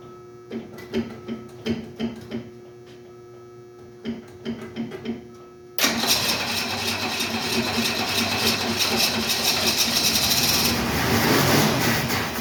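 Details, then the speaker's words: 1968 Ford Mustang, owned about 25 years: short cranking bursts, then it catches and runs rough and ragged, seemingly living only on gas poured into the carburetor; owner suspects no fuel reaching it from the tank, pump output unknown. "Sure seems like it's only burning the gas that I put in the carburetor coming from the tank."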